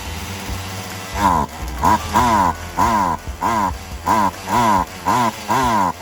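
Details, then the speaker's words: Poulan Wild Thing 2375 chainsaw after replacing gas lines and primer bulb, throttle raised to keep it running: revs rise then sag about twice a second and it runs hot. Carb high/low mixture still needs adjusting. Bogging, carburetor mixture out of adjustment. "Running hot because of I had to raise up the throttle. Anytime you hear that bogging, it means you still need to adjust."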